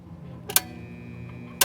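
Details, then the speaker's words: Pool pump motor switched on: a steady low mains hum with no spin-up, just two sharp clicks, the motor stalled; a failed 30 µF 370 VAC run capacitor on top; it starts when spun by hand. "it's just humming all right so how you can start it again is by um by hand"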